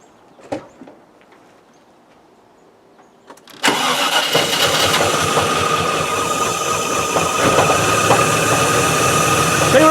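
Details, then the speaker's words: Range Rover V8 after fuel problem repair, wiring not yet taped up: starts and settles into lumpy, uneven idle; misfire, cause unknown, owner plans to read computer codes for injector, plug wire or coil pack. "but it starts up there is a misfire but that's perhaps a good thing because now i can get into the computer and it's running"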